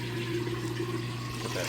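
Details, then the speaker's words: Maytag top-load washer at end of wash cycle: steady water rush and even pump hum, no gurgle or strain; draining fast before spin, then refills for rinse. "that drain running nice and fast there. It's going to drain all the water out before it does a spin to extract the used up water, and it'll fill all the way back up with fresh water for the rinse cycle."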